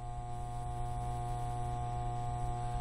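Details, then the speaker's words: 1992 Data East Hook pinball machine after power board replacement: steady low 60 Hz electrical hum with buzzy edge from the sound board; mains hum from the sound board power supply, fixed with a desktop computer power supply. "I replaced the board power board rotten dog amusements and now I have a buzz that comes from this card sound card machine"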